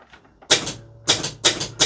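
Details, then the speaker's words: Gottlieb pinball 10-point score reel in test mode after replacing a badly worn coil stop: four crisp even clacks about a third of a second apart, no rattle; normal operation. "Right, you'll remember that noisy 10-point score reel. We'll operate that. That noise is all gone."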